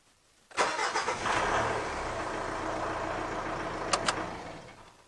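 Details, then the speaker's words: Mitsubishi Triton diesel with a hard-starting fault, started after the repair, with no major battery drain seen: brief crank, then it catches at once and settles to a steady, even idle with no misses or knocks. Healthy start. "anyway we've done the work we've accomplished what we need to we've got the beast up and running"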